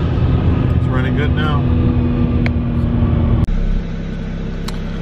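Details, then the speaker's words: Tuned BMW 335i with N54 engine after installing NGK plugs one heat range colder, gapped, fixing earlier misfire: pulls smoothly under throttle with no stumble or popping, then steady cruise; normal acceleration. "right so that fixed the issue basically colder plugs or just replacing plugs for maintenance in general got rid of my misfiring issue at my n54"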